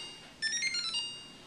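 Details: GE fridge model PFSS6PKWBSS: control panel buttons (lock, ice on/off) press themselves day and night with nobody touching; quick bursts of rapid high chirping beeps in a quiet room, about 10 times in 1.5 minutes, continuing after unplugging for a reset; cause unknown.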